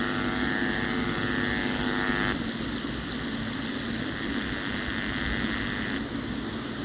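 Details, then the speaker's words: DIY amplifier with a TPA3116D2 module playing a 50 Hz test tone, laptop volume raised step by step: a steady buzzy tone turns gritty and crackly at 46 and is clean at 45 and below. Amplifier clipping point at laptop volume 46. "46 प आते ही केर केर की आवाज आनी शुरू हो जाती है लैपटॉप का वॉल्यूम इस वक्त 45 पर प है वहां तक हमको क्लीने साउंड फ्रीक्वेंसी यहां से मिल रही है तो इस एंपलीफायर का जो क्लिपिंग पॉइंट है वो 46 पर में मैं बोल सकता हूं"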